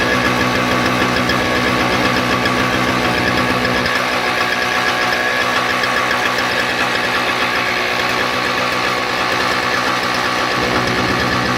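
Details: Toro CCR 2000 snowblower, Suzuki 4.5hp two-stroke with Mikuni carb, circa 1990s, after fixing a broken ignition coil wire connector and blocked pilot jet screw: fast, even firing holds steady without misses or surging; normal running.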